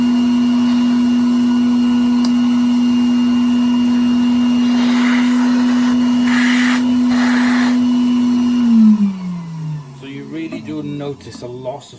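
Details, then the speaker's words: 1961 Bylock coffee table vacuum cleaner: a steady high motor whine runs evenly, then winds down at switch-off; suction is weak because the old hose leaks air, and adding tubes loses even more. "this thing just leaked so much air you lose so much suction through there just seems to be so much lost suction from this end then there is down at this end when I put my hand over it"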